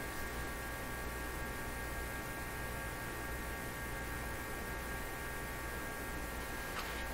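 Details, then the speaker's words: RCA Victor A38 shortwave tube radio during IF-stage paper capacitor replacement: steady low mains hum with no station audio, because the push buttons were left on the phono input. Switching to a radio setting fixed it. "what i discovered was i had left the push buttons set on the uh phono input setting so i switched it to one of the radio settings bingo"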